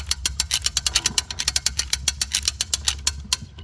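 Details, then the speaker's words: Vintage Craftsman mower's self-starter spinning the engine with the spark plug out after lubrication: quick, even clicking beats, about six a second, cranking freely. Wear seen on the starter gears is a concern. "we're going to see if it's going to wheel this thing over sound like it worked to me"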